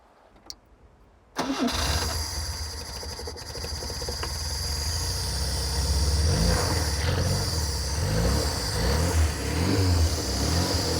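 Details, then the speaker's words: Barn-find rear-engined Czechoslovak Skoda, long stored, being revived with fuel fed into a jug and on choke. After a few cranks it catches and settles into a steady, even idle with a gentle rise in revs; normal start and idle. "It seems to be running. Really happy. Really happy."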